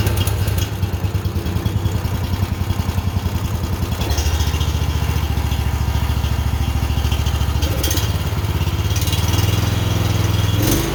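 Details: Honda generator that wouldn't start, after carburetor cleaning, oil change and draining watery old gas for fresh fuel, started on choke: small single-cylinder catches and settles into a steady, even low chug, no misfires or surging; healthy.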